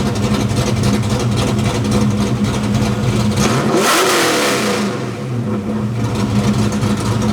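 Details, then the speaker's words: Fox body Mustang with stepper idle valve conversion, live idle tuning: one quick blip, then revs settle smoothly back to even idle; timing added slows and cleans the idle drop. "See how the idle slows down a little bit in its descent? So, it slows the idle drop and it makes it a bit cleaner as it drops in."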